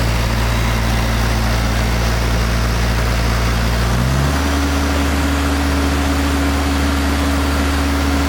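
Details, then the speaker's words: International Harvester TD-7 Series C bulldozer diesel after Bosch VA4 injector pump rebuild, new battery, starter fluid: steady idle, speed settles at new even pitch midway, no leak; normal diesel idle. "the fuel pump is good there's no leak and the desert start fine and run fine"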